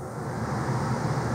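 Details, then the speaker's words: Air handler blower on a wood boiler heating system, after the fix: a steady, even low hum with no rattle or vibration. It had vibrated because it was wired to run with the AC condenser simultaneously, and its AC condenser lines had been found frozen. "you hear how quiet this right now there's no vibrations at all nothing at all"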